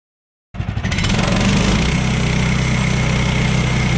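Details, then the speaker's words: Sawmill's small petrol engine running steady under cutting load: an uneven beat about four a second over the drone; something sounds wrong, cause unclear. "I don't think that's any good. I'm not sure what it is"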